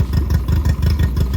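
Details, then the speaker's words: 60 hp Mercury 60 CT outboard with 150 hours and a known fuel issue, just fitted to a Powercat boat. Uneven, lumpy putter at idle with beats dropping out; misfire. "It sounds like it's missing, don't it? So what we can do is we can pull the spark plugs off and see what was not wrong."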